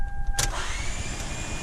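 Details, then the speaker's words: Toyota Sienna won't start: high electric whir with no cranking or combustion, starter motor spinning but pinion not engaging the flywheel; starter relay/solenoid on top suspected failed, starter later replaced; starter spins without engaging. "All right, you put the key in, all you hear is like a motor going bzzz, does not start."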